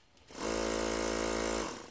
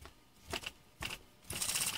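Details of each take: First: Ungar Hot VAC Model 4000 vacuum pump, which previously would not start, after repair; quick start into an even, steady buzzing hum that winds down cleanly, blowing air with suction, running normally. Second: Ungar Hot VAC Model 4000 with its original pump element, which would not run: a few hesitant clicks, then a strained high whir as the motor barely turns the stiff pump; it runs only if given momentum.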